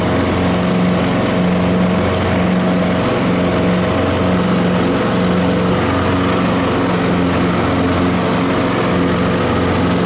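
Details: Craftsman L3000 riding mower after new blades installed; single-cylinder engine holding a steady, even drone with blades spinning, no knocks or grinding; running fine.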